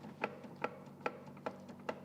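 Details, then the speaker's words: T5 manual transmission out of the car for rebuild, shaft pushed back and forth by hand gives sharp regular clacks two to three times a second from excessive end play; stretched bearing retaining plate suspected, not confirmed. "you can hear how bad that is there's supposed to be virtually no movement on this and and that could very much well be the fault of this retaining plate right here because those are known to stretch under hard acceleration"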